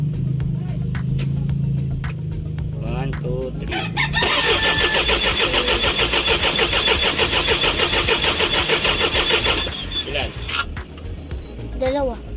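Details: Isuzu 4HG1 diesel with a no-start fault traced to a defective supply pump module: starter churns the engine at about three compressions a second for several seconds but it never fires; crank, no start.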